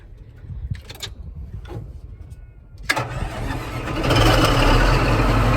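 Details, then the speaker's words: Caterpillar D11 dozer diesel that wouldn't start, 24-volt two-battery system with a suspected battery charge imbalance: a few seconds of grinding cranking, then it catches and settles into a steady, even idle; clean start. "we go. She's alive."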